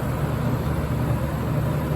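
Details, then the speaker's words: Curb-find General Electric lo Thinline window air conditioner on its first start-up, with condensation forming on the line: steady, low compressor drone with no clear rattle or squeal. Compressor running; owner suspects it may be a bit low on refrigerant charge. "and now you can hear a compressor yeah I think the lines are getting B it it might be a bit low on charge I can't really tell"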